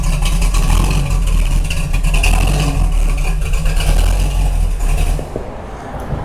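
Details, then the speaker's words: Camaro with a newly swapped 468 big-block Chevy, which quit after an exhaust job, now running at the shop after the rescue while being checked for leaks: a deep, steady rumble with an even beat and no stumble. Normal running. "that sounds pretty good"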